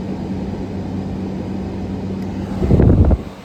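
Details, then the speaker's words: Grandmother's air conditioner at its first seasonal startup after annual cleaning (dust swept off). An even low hum, then a brief heavy rumble as the compressor kicks in, and it runs on as pressures settle. Normal start. "Oh, there we go. She's running. We'll let this run a little bit as I do the other units, and I'll get back to y'all on this."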